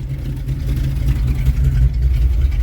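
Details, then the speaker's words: 1973 Dodge D200 with a 360 V8 and 727 automatic, first run after sitting eight years. With idle raised via the carb screw it gives a deep, steady, smooth burble with no misses or knocks. Normal idle. "maybe turn up the idle a little bit there's that screwdriver hell yeah ready for a drive oh god actually sounds really good"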